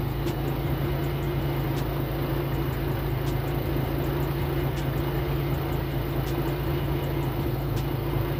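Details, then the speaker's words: Nissan S14 at idle after the knock was traced to an improperly seated cylinder four coil pack: steady even hum with faint light ticking, no knocking; normal idle. "going to cut it here as you heard it is currently not knocking or making that noise or anything like that so we're good to go for now"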